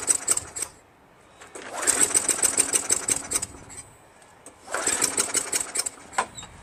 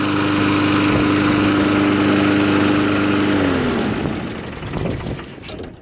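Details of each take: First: Craftsman Eager 1 22-inch self-propelled mower, 5.5 HP Tecumseh, rebuilt carburetor, intake seemed dry; short ragged bursts of firing catch a second or so then fade out. Sticking governor causing sputtering no-run, fixed by adjusting governor back slightly. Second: Craftsman Eager 1 22" self-propelled mower, Tecumseh 5.5HP engine, after carburetor rebuilt and governor adjusted back slightly, warmed after running a while: steady even buzz at constant speed, no hunting or surging, then clean shutdown; normal running.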